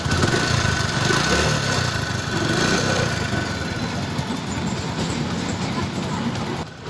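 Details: Hero Splendor Plus after replacing blown head gasket that leaked air and made noise: small single settles into fairly even idle, no knocks or hiss, firing steady; engine now healthy and sealed.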